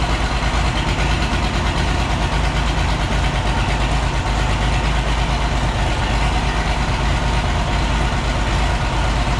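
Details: Oliver 1650 diesel tractor, first start after sitting about 3 years, new battery, fluids checked: a deep idle that lopes and stumbles about three beats a second with heavy smoke, not firing on all six; needs at least injector work.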